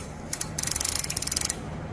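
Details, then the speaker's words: Toyota Hilux SR5 2.8 handbrake after cleaning and lubrication: crisp, even ratchet clicks, about sixteen a second as the lever is pulled; the sound has improved. "Ó escuta o bar escuta o barulhinho como é que melhorou"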